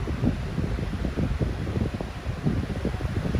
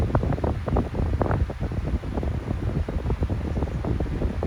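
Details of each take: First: 14-inch no-name high-velocity fan at high speed: steady low whoosh of moving air with an even drone, no rattle or scrape; still runs smoothly after many years. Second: Non-branded 12-inch fan with motor bearing problems, oiled before but worn again: startup and running hum with an uneven, rattling tick from the worn motor bearings.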